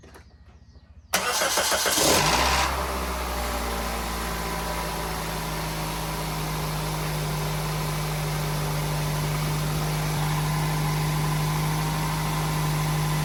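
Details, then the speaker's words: Pontiac Vibe with newly installed starter, battery reconnected and fluids topped off: brisk, even cranking for about a second, no dragging, then a clean catch into steady idle; new starter working. "Yeah, so there we go, guys. It cranked up really nicely, didn't drag or anything."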